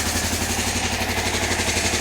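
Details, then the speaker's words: 1993 Kawasaki KLR650 single-cylinder, first cold start in neutral after head gasket, timing chain and bottom-end rebuild: an even, steady idle thump with no knocks or rattles; it sounds healthy after running about a minute. "Yes, we are in neutral. Let's give it a shot. Aha. Sounds good."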